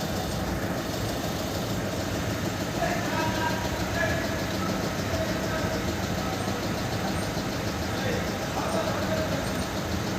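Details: VW Polo 1.2 CJL diesel that would not start (ECM locked, code P157000), now starting easily after cracked, blown fuses were replaced. Steady, even diesel clatter with no misses or knocks. Normal idle.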